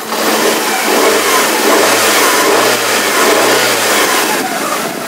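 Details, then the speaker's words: Fiat Fiorino 1.3 Fire, previously misfiring and weak from a cracked valve, after repair with injectors, throttle body and coil refitted: engine blips up and settles smoothly with no miss or stumble; normal engine revving. "Fiorino funcionando perfeito de novo tudo muito bacana uma aceleradinha aqui ó"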